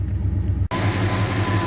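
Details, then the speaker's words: 1968 Ford XL V8 after an exhaust manifold leak was fixed with the manifold refitted and retorqued: steady, even, quiet idle with no ticking or puffing, PCV valve clicking audible; normal idle. "wow that's perfect this thing has never run like this it's never been so quiet I can actually hear the PCB valve going clickity click that's awesome"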